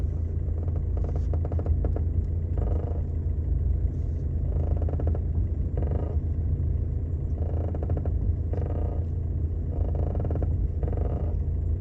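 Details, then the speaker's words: 2014 Seat Leon 1.6 TDI at diesel idle: a creaky squeak repeats in short bursts from the left front as the steering wheel is turned back and forth; front strut squeak, dust foam inside suspected. "Bir aracımız var 1.6 TDI 2014 model direksiyonu çevirdiğimizde arabanın şu sol ön taraftan bir gıcırtı sesi geliyor"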